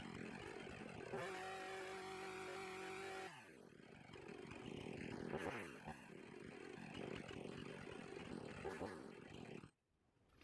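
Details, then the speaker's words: Husqvarna 450 Rancher chainsaw with old gas and neglected maintenance: thin, screaming steady note at far too high rpm before dropping off, from running lean; fixed by turning the mixture screw counterclockwise to richen. "i could tell by ear when i was running it that the rpms were way too high and they would have burned this off eventually and like i said it does that when it runs lean"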